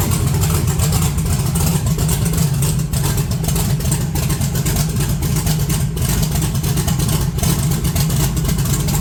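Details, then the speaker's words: Cold 1982 S10 running rougher with raised rpm and heavy vibration. Points look good and oil pressure is 60 psi; a vacuum leak or bad plug wire is suspected. Low rumbling idle with irregular stumbles, a steady misfire on one cylinder. "Got 60 pounds of oil pressure. It's definitely misfiring. So maybe it's got a bad wire."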